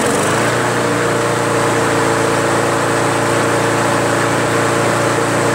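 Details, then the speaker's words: Craftsman push mower, Briggs & Stratton Quantum 4.75, after carb seat, gasket, air filter and governor spring fixes: steady, even drone at a settled speed with no surging; previously sluggish with RPM too high, now running right. "damn runs good huh sounds great now before I was sluggish and those rpms were high now it's just right"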